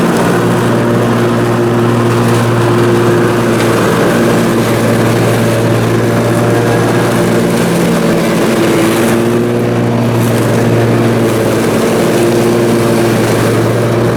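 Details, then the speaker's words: Briggs & Stratton Intek M44 twin on a mower after total carburetor tear-down and clean: steady even hum under mowing load, no surging or hunting, pulling cleanly; seems all right now, normal running. "well there we go it seems as if it's all right now so that is good"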